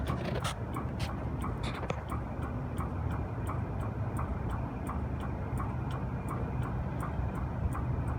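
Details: Copeland compressor after CoreSense module replacement (relay had stuck open), oil drained for acid and drier changed: quiet low hum with a crisp tick about twice a second after pumpdown; ticking source not determined.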